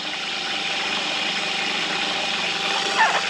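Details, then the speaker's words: Electric fuel transfer pump on a 62-gallon diesel transfer tank in an M1028 CUCV pickup, wired to 12 V from the 24-volt system, priming: steady high-pitched whir with fuel rushing, even, no surging; pump normal. "you'll hear it turn on. And it's priming."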